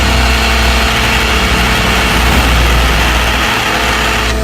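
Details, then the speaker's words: Car at idle, listened via metal bar stethoscope on alternator: constant whirring gritty hum strongest at alternator; alternator bearing noise, alternator and some pulleys to be replaced. "it sounds the worst coming from right here right on the alternator so i'm going to replace that alternator and a few other pulleys"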